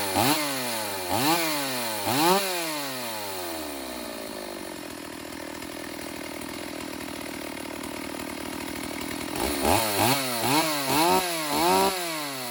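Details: Stihl AV 028 Woodboss Super chainsaw after a new fuel line and filter fixed lean bogging, carb dialed in: crisp blips rising and falling cleanly, then a steady full-throttle scream with no bog; runs healthy.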